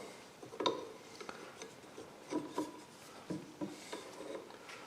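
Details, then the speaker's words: Generac RV generator, alternator shaft turned slowly by hand: short, irregular rasping scrapes over a quiet room; alternator bearing badly worn, with slight shaft play. "guys a little bit closer can you hear that wow that bearing is bad real bad man see if you can hear that go up here to the top yeah it's definitely uh that noise is definitely right there"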